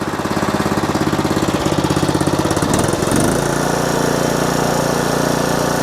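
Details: Old riding mower after fitting cheap Chinese knockoff carburetor and tightening a loose leaking fitting; steady, even putt-putt settling smoothly after a brief speed change, no hunting or surging; runs fine.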